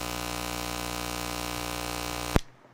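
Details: DJI Mic Mini wireless microphone system with fast charging connected during recording: constant low electrical buzz under the audio, then a thump and dropout; hum into the mic audio suspected, not confirmed.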